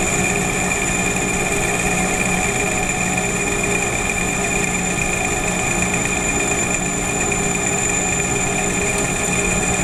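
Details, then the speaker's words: Lathe finishing cut with a hand-ground, honed right-hand HSS turning tool bit at a slowed feed of 0.004 in (0.1 mm) per rev and 0.040 in depth; steady cutting hiss, constant spindle hum, no chatter; good finish, improvable. "and that's a pretty good finish there but we can do better"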